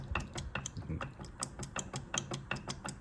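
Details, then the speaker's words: Z32 VLSD differential from a CA18DET S13 project: loose, uneven clacking about five or six a second; previous owner said bearings were needed; excessive gear play suspected, rebuilt unit bought. "I hear the chatter there it seems like it's a little bit too much play between the caves"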